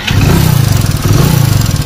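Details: Hero Splendor Plus single-cylinder running with an even pulsing beat and a light tick-tick keeping time, typical of loose tappet (excessive valve clearance).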